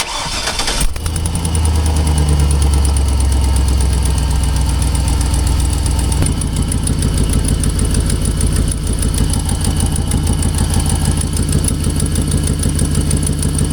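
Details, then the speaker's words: Used GMC 2500 HD with 6.0 gas V8 on 5W-30, start-up after service: quick steady ticking about three per second over idle; first feared lifters, but it is an exhaust manifold leak. "I'm sure you hear that sound. Now these 6.0 gases have a reputation for lifters being an issue. And when I first heard that, I was concerned that it might be a lifter issue. And I was talking to a buddy and he said check your exhaust manifolds."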